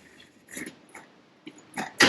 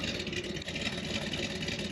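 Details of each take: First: 1979 Corvette small block with a mild cam, which has been sitting: cold start with several cranking bursts, then it catches and runs briefly before dropping off. The choke isn't closing; the engine otherwise sounds healthy. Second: 1979 Corvette C3 small-block V8 that had been sitting, found with a mild cam, at idle: a steady, even, crisp exhaust note with no knocks or misses; sounds tight and healthy.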